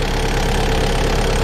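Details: Stump grinder with freshly rebuilt motor idling between cuts on a willow stump job: steady, even low rumble with no knocks, misses or surging; idles smoothly and healthy. Leftover oil on the heat shield cover burnt off.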